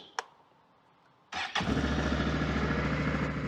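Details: 2022 Can-Am Outlander 650 XT after the fuse and fuel pump no-start fix: a click, then a short crank and quick catch, settling into an even idle at about three to four pulses a second. Starts and runs normally.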